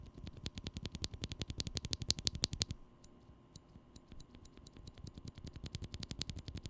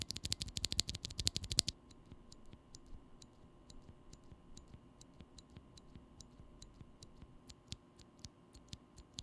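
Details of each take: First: Glorious Panda switch, leaf spring lubed with Krytox: crisp, clean clacks in quick bursts with no metallic ping after each press once the leaf spring is lubed. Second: Holy Panda tactile switch, Krytox-lubed housings, stems and springs: fast burst of clicks then sharp single presses, each leaving a thin metallic ping; leaf spring tick.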